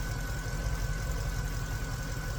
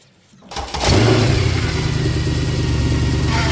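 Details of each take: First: Mercedes C63 AMG at idle, power steering pump audible after topping up fluid for steering repair: steady, even idle with faint constant high whine, pump noise has gone down, no leaks; pump sounds healthy. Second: Mercedes C63 AMG steering repair: engine settles to steady idle with faint whine over it; power steering pump whine, pump noise likely as customer reported, no leaks, steering to be bled and fluids checked.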